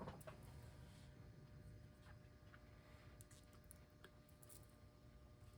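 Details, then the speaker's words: Seth Thomas Dynaire 2E electric mantel clock (December 1953), motor plugged in outside the mechanism after repair to check it: faint, steady, even hum with no clicks or stalls; the motor runs normally. "But before I do that, let me plug the motor back in just to confirm that it's working."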